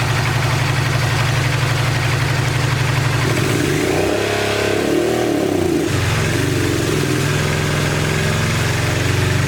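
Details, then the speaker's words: 1986 Honda VT500 Shadow V-twin, long-stored, idling after the coils were regrounded: loping, uneven idle with a throttle blip, one cylinder barely firing; water still comes out of the airbox, it is suspected it was run hot, and the radiator is somewhat low. "i regrounded the coils and that made it crank up and it wants to run on this rear cylinder but we still got water coming out of the air box"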